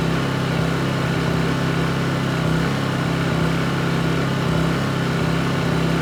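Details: Honda EU2200i inverter generator, brand new just unboxed, running during a fuel-shutoff test: smooth constant low hum with even pulse, no surging or hunting; running properly.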